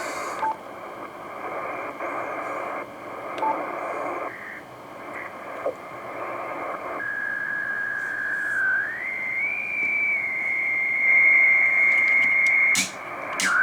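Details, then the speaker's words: HF receiver on the 80 m band near a 30 A CCTV switching power supply modified with extra capacitance: loud raspy hiss with buzzing and whistles as the receiver is tuned, strong switching-supply RF interference. "Claro que em frequências mais altas esse ruído vai sendo atenuado, como a gente vai ver aqui. Nós estamos 160 metros, que é a faixa mais suscetível a esse tipo de de interferência, né?"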